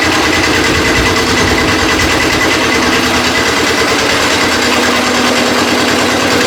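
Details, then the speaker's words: Custom Cub Cadet 72 tractor with a Kubota diesel, warming up after a glow-plug start: small diesel clattering at a fast, steady idle with an even rhythm and no misses, knocks or hunting; normal idle. "Turn it over. Let it start. We'll let it warm up for a little bit before we try moving it."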